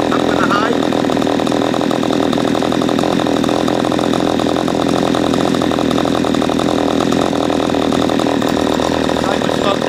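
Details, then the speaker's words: P1PE P6220C chainsaw with the high-speed mixture screw unscrewed well out, too rich: dull, bogged, gutless drone that revs very slowly; it was then screwed back in gradually until revving correctly. "okay as you saw when it becomes gutless I unscrewed it quite a bit it becomes very slow to go when you're on the high-speed so I gradually screwed it back in until they got to the point where it's revving correctly"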